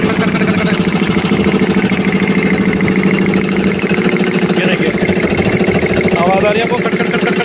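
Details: Air compressor running: steady motor drone with a regular tak-tak knock about three times a second; a valve fault is suspected.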